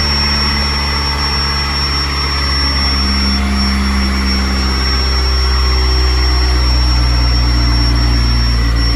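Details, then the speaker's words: C5 first start-up after coolant was added, on a jump: a steady drone with a constant high whistle, idle swelling slightly. Surging idle; a manifold vacuum leak is suspected, not confirmed. "All right, we're gonna take the manifold off and then put it back on and see if that's what's causing this whistle."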